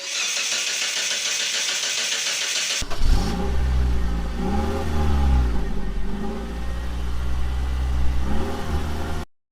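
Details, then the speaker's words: 2019 Hyundai Tucson 1.6 turbo GDI, plugs already replaced, started after loud poof while driving: uneven, lumpy idle with wavering beat, no misfire counters or check engine light; one dead cylinder confirmed by compression testing. "So this doesn't sound too good. So we got no misfire counters, no engine check light, but the vehicle is running rough. Something is wrong."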